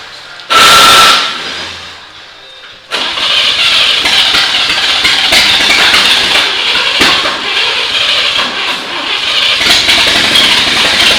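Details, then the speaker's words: 1939 GMC COE 4x4 inline six with updraft carb, after fixing fuel delivery, wet plugs and a minor valve adjustment: cranks briefly, catches, and runs steady and even with no misses. Timing and plug wires were fine. Normal running. "so at this point uh bill has worked out the issues with it we had mostly fuel delivery issues and we had some wet spark plugs"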